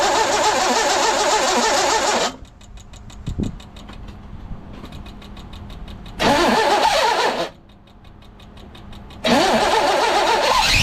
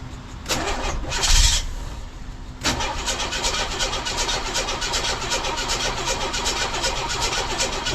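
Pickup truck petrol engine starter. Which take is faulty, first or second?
first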